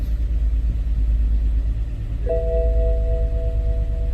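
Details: BMW N20 528i (German used car), six-cylinder engine idling with shaking, power loss, loud noise and smoke; uneven stumbling rumble and warning chime; OBD2 code P0303 cylinder 3 misfire, coil swap moved fault, fixed by replacing No. 3 ignition coil.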